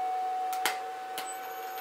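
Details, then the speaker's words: Grizzly G0800 wood lathe, newly received, running forward at 292 rpm: quiet steady hum with a clean even tone, no knocks, rubbing or grinding. Normal running. "that's it running it says we're at 292 rpms and I don't know if it's showing up or if it's showing up in a video but it's pretty quiet"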